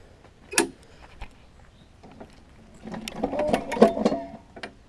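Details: Craftsman self-propelled mower with Tecumseh engine: pulling the starter brings uneven hollow clunks and rattles; blade was loose and mounted backwards, fixed by refitting blade.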